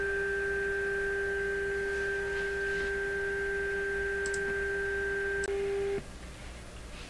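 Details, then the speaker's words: Canadian PYE model 762/39HC vintage radio on bench alignment test near 11.8 MHz: steady tone, then a click, brief return and dead dropout with no fade beforehand; intermittent cutout, a pop-like fault. "you just heard it click off just before it clicked off like that it uh it clicked off and on"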